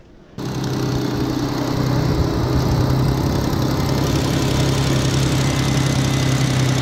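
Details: 2003 Ford Mustang 3.8 after replacing the fuel pressure sensor for code P0193 (lack of power, sputtering) and clearing the code: starts cleanly into a smooth, steady idle hum with no stumble; running healthy, no leaks.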